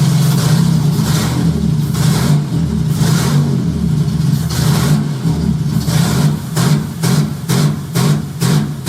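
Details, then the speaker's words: J35 engine swapped into a Subaru Baja at start-up, AEM Infinity ECU untuned; revs climb to a 2000 rpm rev limiter, then ignition cuts in a choppy on-off bark about twice a second. Lambda about 0.9, slightly rich. "so apparently it has a rev limiter set to 2000 because rpm i step on the gas it goes up to 2000 and then the ignition cuts out"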